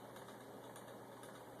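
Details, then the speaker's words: Homemade gamma-type Stirling engine on a denatured alcohol burner, near full speed, with an out-of-balance flywheel: light quick ticking each turn over a soft hum, from an undersized wrist pin knocking in the power cylinder, to be replaced; wrist pin knock. "i don't know if you can hear that little ticking sound it's got a rod knocking in the power cylinder over there got the wrist pin just a little bit undersized need to go back and replace that"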